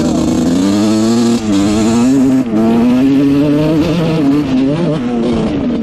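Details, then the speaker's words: 1986 Honda CR125 two-stroke after raising the needle one notch, with the pilot jet found to be the problem: a crisp buzz rising and falling cleanly through blips with no bog, running almost perfectly and not breaking up. "all right this thing is running almost perfect now um it doesn't break up at all it's really nice"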